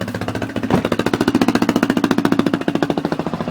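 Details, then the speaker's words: Honda 400ex single with a failed Namura piston, before top-end teardown, started cold around minus five: crisp, regular thumping at about three and a half beats a second, steady warm-up idle, running a little rich. "that's not sick running a little bit rich but it's not that bad"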